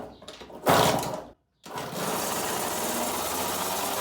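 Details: Kawasaki KX65 two-stroke that would not start, first start after two weeks of repairs: muffler packing replaced, exhaust cleaned, air filter oiled, drain plug fixed, oil changed. It fires and holds a steady raspy buzz with no stumbling and little black leak.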